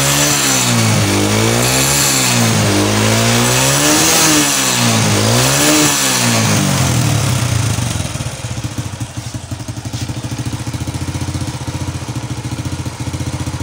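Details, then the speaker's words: Motorcycle fitted with a locally made carburetor, air mixture set right: crisp, light throttle blips rising and falling in pitch, then a steady even idle; clean response, normal revving. "Oke teman, dan untuk suaranya ini terdengar sangat kering sekali atau ringan sekali atau renyah sekali suaranya."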